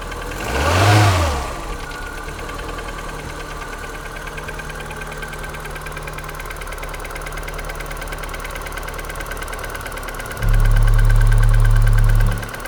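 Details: Polonez Caro with the 1.4 K16 engine, cold start in the morning at 0°C: cold idle with a steady hollow knock about four times a second, identified as piston slap.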